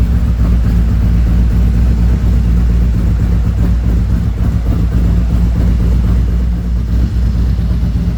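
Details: 2017 Harley-Davidson Ultra Limited 107 with newly installed Thundermax EFI and Bassani, during the second auto idle tune while warming up toward 180 degrees: deep, even V-twin idle holding steady, no knocks, ticks or rattles; normal idle.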